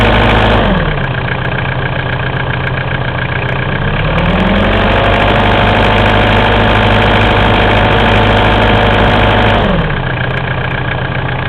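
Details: Mitsubishi 4M40 diesel idling with a steady, regular knock about three to four per second over the clatter, rising briefly with revs; engine knock, source unconfirmed.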